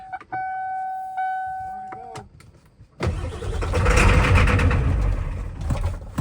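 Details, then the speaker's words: Ford Powerstroke diesel truck with injectors swapped in from a second truck, valve covers off, just primed: warning chimes, then hard cranking that surges but never catches; crank, no start, suspected air in the fuel system. "It's probably got a lot of air, actually. >> It's probably air."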